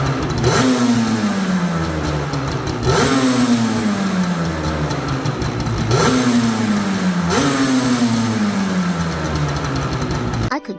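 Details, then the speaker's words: 1987 Yamaha Banshee 350 two-stroke twin quad revived after sitting over ten years: crisp blips up cleanly about every three seconds and falls back smoothly to steady idle, normal revving. "Boy, it's been a while since I've owned a Banshee. I forgot how badass these things are. This thing rips."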